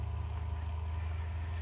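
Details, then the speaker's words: New Beetle Turbo electric water pump relay (large fan relay) stuck closed with engine off: steady low buzz as the pump keeps running instead of stopping after 10-15 minutes, draining the battery; stops when battery positive disconnected. "that is a relay that has not released i'm gonna pull the power off of the positive battery side there it goes off bad relay so as you can hear by that i've got a bad relay the relay is actually sticking and holding that contact together"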